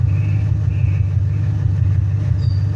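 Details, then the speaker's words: 2000 Ford Mustang 4.6 V8, coil-per-cylinder, deep exhaust rumble at idle with an uneven stumbling pulse; misfire persists after tune-up with no trouble codes, heard at the muffler; cylinder contribution test with scanner to follow. "este carro trae un mix fire amigos mi cliente me lo trajo le hicimos la afinación pero el míster sigue y el problema es que no tenemos ningún código"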